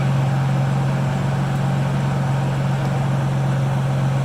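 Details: 1996 Chevy Impala with a crank-no-start problem, fuel filter replaced but still no fuel pressure; fuel reaches the Schrader valve, and owner suspects the valve is damaged. Runs a few seconds with a steady drone, longer than before, then cuts off. Engine stalls.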